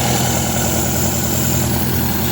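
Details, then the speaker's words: 1972 MGB with twin SU HIF44 carburetors, after a quarter-turn adjustment: low, even idle rumble with a steady beat, no misses, much smoother; idle earlier 1400 rpm, later set to about 1200–1300 rpm. "It's much smoother now. Let's see what the RPMs are."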